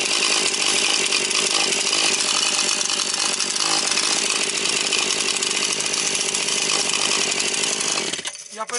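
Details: Husqvarna 130 chainsaw just after the carburetor was replaced with a new two-chamber unit on unadjusted factory settings: a bright, buzzy two-stroke snarl holds steady and clean through the revs, then cuts off. The saw runs healthy.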